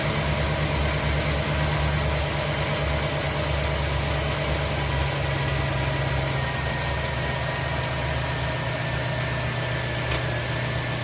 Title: 5.3 L 2010 Silverado 1500 strange noise